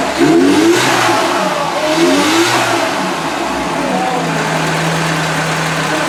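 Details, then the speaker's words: Merkur XR4TI, 95,000 miles, revived after five years sitting (it died when hot); with distributor timing corrected, crisp rev blips rise and fall cleanly then settle to a steady hum; runs much better, extended test drive pending. "take it for extended test drive but it seems a lot better than it was"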